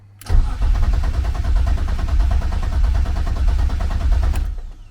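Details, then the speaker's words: Turbo BMW E36 that has been running lean, after MAF cleaning, cool weather (about 40–45°F): cranks steadily about four seconds without firing; fuel pump priming not heard, owner suspects electrical or fuel pump relay problem; crank no start. "that's not giving me nothing I don't hear my fuel pump this this what I'm saying man it's like so many electrical problems right now"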